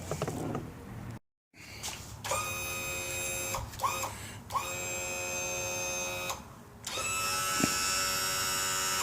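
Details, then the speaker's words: Pre-1996 outboard engine wired to a 2008 outboard controller through an adapter harness, power trim and tilt just plugged in; several short runs of steady electric motor whine, clean starts and stops, no grinding — normal trim/tilt operation. "Then our power trim and tilt goes here. Ooh."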